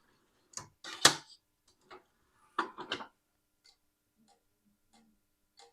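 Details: Numark CDN32SE dual DJ CD player, damaged from a knock, with faulty CD drives, just powered on with no disc: faint, sharp ticks about every half second from the disc deck; drive fault, cause unknown.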